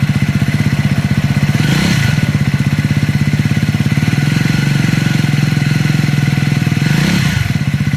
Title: #エンジン異音 #triumph #scrambler400x #speed400 #リコール#トライアンフ#スクランブラー400x #スピード400